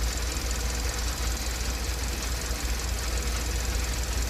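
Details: 2012 Kia K7 2.4 GDI Theta 2 petrol after rebuild for broken crankshaft bearings and gravel-like noise: bored cylinders, new oil pump, four ignition coils and spark plugs; deep, even idle, quieter, shaking gone, normal.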